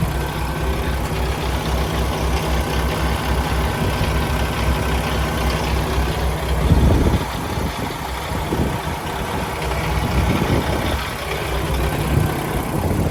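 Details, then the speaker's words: 2016 Peterbilt 579, Paccar MX diesel (MX13/MX455) with Eaton automatic transmission, hood open at engine: steady even low idle rumble, no knocks or misses, brief handling noise midway; no unusual noises, smoke or blow-by from oil filler cap; healthy idle. "It appears to be running excellent. No unusual noises, no smoke out of the tailpipe, no blow by coming out of the oil filler cap. Everything appears to be good."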